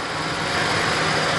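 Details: Ford Ranger 4.0 with prior misfire and lack of power, after fuel pump replacement: smooth, even idle with no misses or stumbles; engine holds a steady note and sounds healthy.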